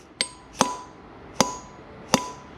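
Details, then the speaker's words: Aprilia RS 125 Rotax 122 crankshaft removed during disassembly, with possibly slight play. Four sharp metallic taps each ring briefly and die quickly, so the main bearing sounds solid rather than ringing like a bad one. "Actually sounds quite solid. If you hear it ringing like ding, then the main bearing here is trash. With this one it rings a bit, but not too bad."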